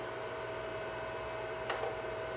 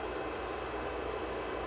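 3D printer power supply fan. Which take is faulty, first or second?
second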